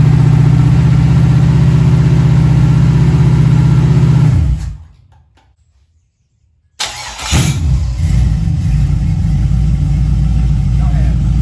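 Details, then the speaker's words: Junkyard LM4 aluminum 5.3 LS V8 on an engine stand with stock cam, before a Tick Performance cam install: steady even idle, clean rev pickups, brief shutdown and easy restart; runs really good. "yeah it runs really good"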